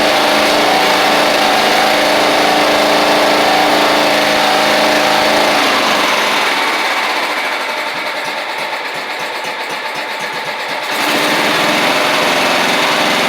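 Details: Toro Proline walk-behind mower, Kohler Command engine, sat unused April to November, blade missing: single-cylinder buzz at steady high speed, easing off slightly then picking back up, clean and even.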